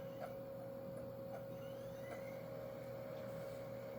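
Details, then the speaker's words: Vintage 2001 Iomega USB CD-RW drive spinning up a CD-R before burning: steady mid-pitched whir with only faint light ticks; drive sounds smooth and healthy. "That sounds pretty healthy."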